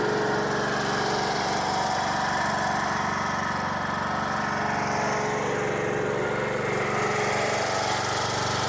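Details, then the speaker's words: Troy-Bilt lawn mower after repair, started on jump pack with choke, carburetor flooded at first for unknown reason: steady even engine drone with constant beat, no misses or knocks; normal running. "Runs good. All right, I don't know why the carburetor flooded, but that is a small problem that I will deal with later."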